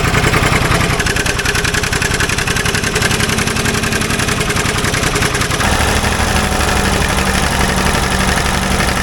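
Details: Old Ford loader backhoe, long unused, rapid uneven chuffing with irregular exhaust pops, idle wandering and dropping lower midway; mechanic suspects it isn't getting full gas flow, as a fuel line connection leaks gas badly; unconfirmed.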